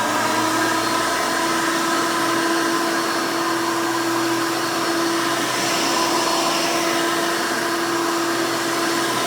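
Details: 1991 Hoover Elite 350 upright vacuum, model U4463-9, motor-swapped with a later 7-8 amp motor, louder than stock: loud steady high-pitched scream with even hum underneath, no rattles or surging; motor running strong, normal.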